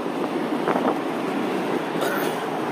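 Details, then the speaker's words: 2019 Mazda Miata RF with top up and windows closed, driving: constant rushing air hiss with no mechanical rhythm, wind catching the rear roof corner, loud and annoying and never letting up. "is this this back corner here cat catches all the air so when you drive along even with window up you hear that air here and it's really loud and annoying"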